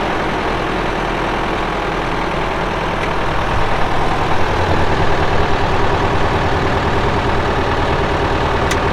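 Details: 1975 Case David Brown 1212 tractor, 71HP engine, 4,353 hours: a steady, even diesel idle clatter at about two and a half beats a second with no misses or knocks. The engine sounds good. Normal diesel idle.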